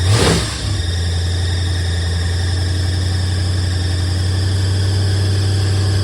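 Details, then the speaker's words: 1976 Mercury Monarch with 347 stroker V8, first start after reversing the two MSD-box wires on the distributor: fires after brief crank, then holds a steady fast idle with hard exhaust drone that never drops; owner suspects idle screw set too high or fast idle cam. "so it was the wires reversed on the distributor I don't know where the timing is carburetor really is uh got the idle weight too high but it could be fast idle cam I think it's just needs idle needs to be turned down"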